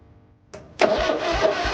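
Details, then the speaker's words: 1980 John Deere 317 tractor after charging battery and replacing and adjusting points and condenser: slow labored cranking about three strokes a second that never catches, no spark at the points; crank, no start (no spark). "I charged the battery I replaced the points and condenser and adjusted the points uh let's see what we get [Music] nothing not getting spark at points points still what the heck"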